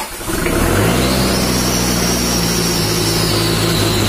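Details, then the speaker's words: Mitsubishi Strada Triton 4D56T turbo diesel, just rebuilt after overheating seized and scored the liners, first start: catches into a smooth muted idle lacking the usual diesel knock; too soft, white smoke, oil leaking at the oil flex hose; injection pump to be adjusted. "mesinnya tadi udah hidup jalur tapi suaranya terlalu halus dan mengakibatkan asap putih dan juga ada oli yang bocor di fleksibel oli."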